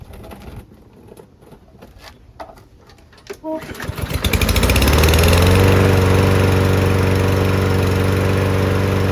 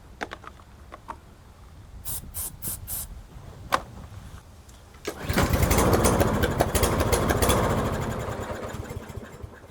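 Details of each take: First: Newer Toro lawn mower that would not start because of water in the fuel, running after fresh oil was added: handling noise, then it fires, picks up quickly and holds a smooth, even speed; running healthy. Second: Newer Toro mower with Briggs engine, full tank, customer says no start: won't start, then on carb spray clicks and runs roughly, sags and dies within seconds; not drawing fuel, water in fuel suspected.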